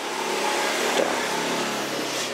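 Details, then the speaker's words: Behringer GEQ 3102 equalizer, quiet in bypass, but when the EQ is engaged: steady loud hiss and buzz through the speaker; cause a broken circuit-board trace, suspected on the output side. "Tapi ketika saya aktifkan equalizernya itu baru ada suara dengung seperti itu besarkan speakernya seperti itu ya"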